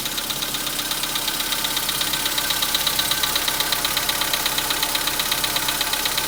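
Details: 2015 VW Polo Sedan, 91,315 km, cold start at about -10°C; cold idle with a crisp, even tick about twice a second over the engine hum, cold-start knock that nearly disappears as it warms.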